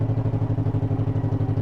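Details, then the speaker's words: 1958 John Deere 420W two-cylinder tractor, original paint, after cold start; runs good, strong even thumping about thirteen beats a second, steady with no clatter or misses: normal running. "Anyway, this thing, it runs good. Original paint, that's the way failure likes them. Everything works."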